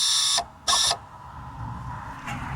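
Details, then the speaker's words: 2020 Vauxhall Corsa-e electric car, rear electronic parking brake after temporary repair of corroded, snapped blue caliper wire (fault code C1561): two short even high-pitched motor whirs with soft hum after, handbrake applying and releasing normally. "And there you have it. Handbrake's back working."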